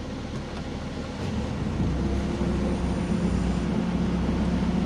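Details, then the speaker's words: 2012 Toyota Avanza at idle with its original 2012 extra fan: after the AC blower and compressor are switched on, a low whooshing hum swells within a couple of seconds as the radiator extra fan kicks in. The fan works normally. "Oke kita on-kan kompresor coba dengarkan teman-teman ya nanti ketika ini kita saya on-kan kompresornya maka fan radiator atau kipas radiator akan menyala"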